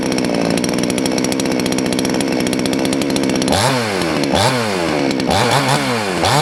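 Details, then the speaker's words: Salem Master chainsaw, two-stroke, low-speed screw leaned out too far: idle sits high with fast buzzing whine, swooping down after blips, chain creeping at idle, less top end; lean idle mixture, high idle speed. "okay if you noticed when i leaned it out a little too far it sounds like sun's getting really happy but actually it won't have as much top end and you notice the chain started to move"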